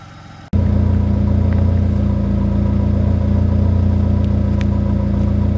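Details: 1997 Honda Accord after replacing burnt exhaust flange gasket and rebolting headers, warmed up and revved: smooth, even note with steady low rumble, no ticking, puffing or rasp; exhaust leak fixed, normal revving.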